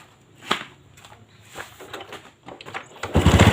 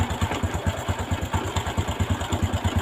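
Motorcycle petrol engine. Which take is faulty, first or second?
second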